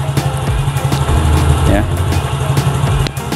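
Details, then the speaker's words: Yamaha Mio Soul GT 115 scooter after new cylinder block installed, previously hard starting and stalling: steady low exhaust beat at idle, cylinder block sounds clean with no ticking at all; only exhaust heard, some smoke from old oil residue. "ternyata suara dari blok silindernya ini lebih bersih ya karena memang brofinder baru demen lebih bersih Hai gak ada suara ngeletek sedikitpun nemen"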